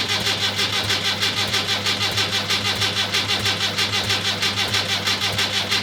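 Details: Rebuilt Land Rover Series III diesel, first start after rebuild, injector pump timing just adjusted, glow plugs preheated: starter turns over hard with an even pulse about every two-thirds of a second but never catches; slow to start.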